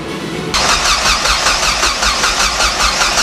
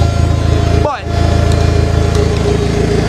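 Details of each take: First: Rebuilt car after rebuild, weak battery: starter spins engine briskly at an even two to three beats a second for five seconds but never catches; cranks healthy, owner suspects missing ignition run signal from PCM with key. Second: Car's first start after rebuild, with external fuel pump and exhaust open after the downpipe: steady, smooth idle through the loud open exhaust, no misses or knocks. Ran 10–15 minutes, made excellent vacuum, no fuel leaks. Normal idle.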